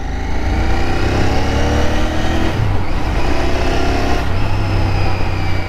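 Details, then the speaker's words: 2023 BS6 Royal Enfield Continental GT 650 under hard acceleration: thin whistle from the front rises with revs and drops away at the shift, likened to a Kawasaki H2R turbo; source of the whistle unknown. "देखा, सुना, आवाज़ सुना रही आपको कैसे विस्सल की आवाज़ आ रही है आगे से।"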